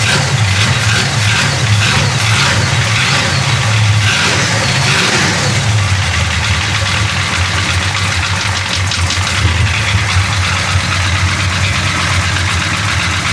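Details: Big-block Chevy 427 V8 after a valve adjustment: a rough, loud idle, much better than before, with a light ticking chatter up top that comes and goes, side unclear; intermittent valvetrain chatter.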